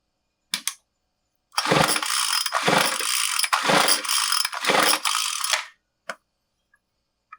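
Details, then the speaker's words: Craftsman WS215 MTD-built two-stroke string trimmer with confirmed spark, choked, with fuel poured down the carb venturi: four rough pull-cord cranks and it never even pops, and the plug stays dry. Crankcase air leak. "Nothing. Didn't even pop. We know we had spark."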